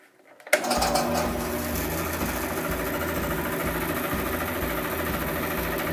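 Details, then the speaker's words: Grizzly G0555 bandsaw, several years old, starts up into a steady hum with a rough, chattering rattle from a worn lower wheel bearing, heard before the bearing was replaced; louder when switched off. "let's have a listen here and you can hear the problem that I'm talking about it's it's not really a problem but it's certainly irritating and so we're gonna replace these bearings here we go"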